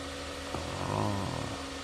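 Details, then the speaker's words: Jeep Grand Cherokee after replacing noisy idler pulley (part 05281301AA) that screeched on cold starts, battery reconnected and restarted: steady even engine hum, no squeal, chirp or rattle from the belt. "I could the bully here is Wang right so it doesn't make noise"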